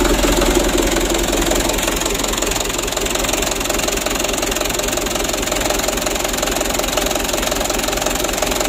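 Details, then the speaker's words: 2010 Mitsubishi Canter 125 PS diesel: loud, uneven clatter with a lumpy, shaky idle before adjusting the injection pump plungers to even out the engine shake. "Ayo kita matikan dulu dan kita setel kita pergeseran punya supaya goyangnya itu normal ya ya Intinya jangan sampai terlalu parah goyangnya begitu ya"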